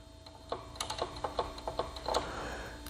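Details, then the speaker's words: Battery-powered outdoor tool with the switch jumped and the battery testing good: quiet, sharp, uneven ticks from the motor that then quits. The switch is ruled out and the motor or head is suspected, cause unconfirmed. "should do the same thing and I can hear it ticking"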